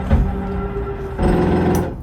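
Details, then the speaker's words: 2022 Coachmen Catalina 343BHTS RV bedside slide-out: steady electric motor hum turning into a louder gear grind at full extension, which is normal. "you hear that little gear grinding noise you know you're fully extended It's Perfectly Normal"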